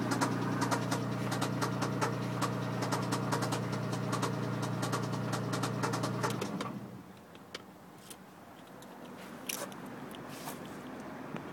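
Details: MG ZT at idle: sharp, regular tick about two and a half times a second riding over a steady idle hum until shutdown. Engine knocking of unknown origin.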